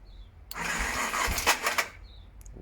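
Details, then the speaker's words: BMW F650GS single-cylinder cranking with a harsh, gritty grinding burst, caused by a broken starter sprag clutch. "so that sound was way worse in real life and that was all due to this broken sprad clutch"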